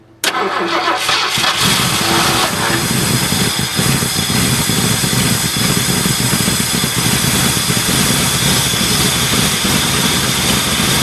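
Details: 1978 Ford LTD, very cold start at about -10°F after two days of trying, jump-started from a Buick: engine catches abruptly and settles into a loud, hissy, slightly ragged fast idle that never evens out while warming up.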